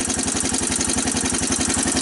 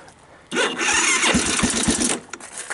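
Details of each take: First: 1985 Honda TRX250 ATV single-cylinder, first cold start with choke on, in neutral: clattery top end over even firing pulses at idle; lots of mechanical noise, cause not pinned down, owner suspects oil burning. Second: 1985 Honda TRX250 single, new battery, in neutral: after a few short starter bursts it fires quickly and settles into a steady even putter on choke; clean cold first start, owner suspects it burns oil.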